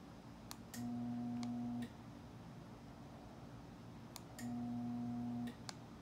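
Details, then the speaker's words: Genie Pro garage door opener, door stuck open, won't close: two brief steady low hums with relay clicks as the motor buzzes but won't turn, caused by a failed start capacitor. "khi tôi cố đóng, tôi chỉ nghe thấy tiếng vo ve và không có gì khác xảy ra."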